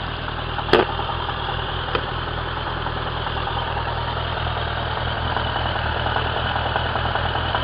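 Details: Suzuki Bandit 1200 K3, 29k on the clock, oil changed a month ago, warm idle: faint regular knock on the firing beat, only when warm, persists with clutch pulled, inaudible under load, worsening for a year; source unknown.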